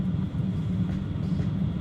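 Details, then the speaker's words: Cheap Chinese diesel heater newly installed in a Sprinter van, set to 30 degrees, after priming and warm-up: deep, steady combustion rumble with no popping, surging or misfire; burning evenly, normal running. "So apparently it takes just a little while to sort of warm up. You can really hear it firing up now."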